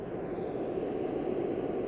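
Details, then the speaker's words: Altec Lansing Bluetooth speaker, amplifier board connected to phone (steady light): constant loud static hiss like an airplane or waterfall drowns out the music; volume buttons do not work; the board is faulty. "So, it's like you're flying in an airplane or some type of uh waterfall."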